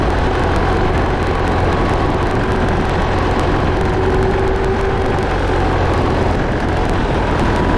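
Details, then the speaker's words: Case 188D diesel in a tractor, fired up after the injection pump was reinstalled: steady, even diesel clatter with a deep, smooth beat and no knocks or misses. It later showed good oil pressure and water temperature on a four-mile drive. "it's alive it's alive it runs it runs it runs good everything sounds good everything's working good"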